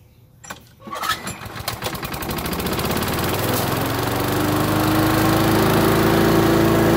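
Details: Curbside Craftsman lawn vacuum with a cleaned carburetor and new spark plug: a few pulls, then the small engine catches and revs to a steady, even run with a rising whirr. Running fine.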